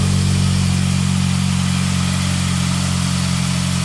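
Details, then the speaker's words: Saab 9-3 at idle after sump cleaning, oil pickup modification, breather pipe repair, and fresh oil and genuine filter: the oil light goes out so there is oil pressure, and the former whining noise is gone. A steady, even, smooth low hum. "so there's oil light okay that goes out so we've got oil pressure the whining noise is gone"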